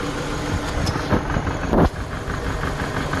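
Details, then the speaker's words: 2014 Dodge Journey 4-cylinder with check engine light, idling before plug and coil replacement: engine shaking, with a lumpy idle, uneven beat and occasional stumbles; misfire. "As you can see, this thing is kind of shaking pretty bad. It has a misfire."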